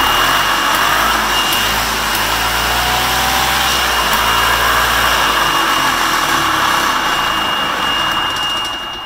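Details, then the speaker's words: Golf cart two-stroke engine back running after a new head gasket and base gasket and a cleaned carb, on a hoist in reverse: steady piercing reverse buzzer over a busy, even engine drone with no knocks. Normal running. "So, but yeah, there it is. It is back up and running."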